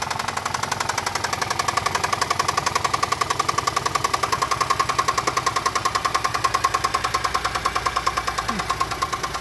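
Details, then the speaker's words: Chevrolet Traverse with an existing engine knock, on thicker oil plus Lucas oil stabilizer, oil pressure built up and warming at idle: sharp, even knocking about 3.5 per second persists. Bottom-end knock, cause unknown; the additive did not stop it. "oil pressure is built up currently knocking still let it warm up a few minutes and then uh let's see if it goes down at"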